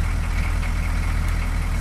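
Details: 6.2L diesel the morning after a fuel filter replacement for rough idle: low, even clatter at steady idle, no throttle, with no stumbles, hunting or dropouts; idles cleanly, problem appears fixed.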